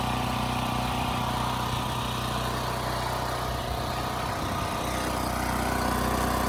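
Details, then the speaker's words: Westinghouse 7,000-watt generator, single-cylinder, after carburetor cleaning, speed adjusted to 61.5 Hz: steady high buzz at governed speed, no surging or misses. Tachometer reads close to 3,700 rpm, matching multimeter; engine not overspeeding. "That was close to 3,700 RPMs, which agrees with the multimeter and what I'm hearing."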